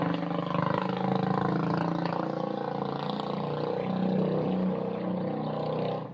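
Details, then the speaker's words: Coleman CT200U-EX trike, single-cylinder engine with stage one kit (new intake, exhaust pipe and muffler), exhaust newly supported: steady, even idle with a deep throaty note, popping and sputtering gone; normal running. "I think that exhaust sounds pretty good. It's kind of throaty, but it took the popping and sputtering out"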